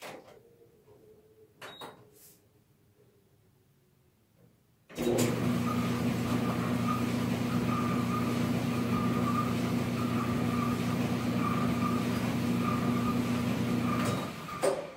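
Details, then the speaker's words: GE dryer, model PDVH515EF0W, starting up: steady low hum with a thin high shrieking squeal pulsing with the tumbling drum. A worn drum bearing is suspected, not confirmed. "can hear that shrieking Oy so probably a per drum there got worn out so take it out and we find out what happened"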